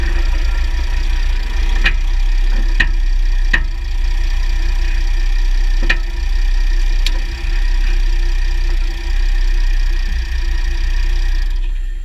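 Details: 2009 Jeep Grand Cherokee WK 3.0 CRD diesel, Quadra-Trac II, GoPro on skid plate: sharp irregular clicks every second or two over low road rumble as drivetrain load comes on and off; driveshafts OK, front diff bushes and transfer case oil changed; cause unknown.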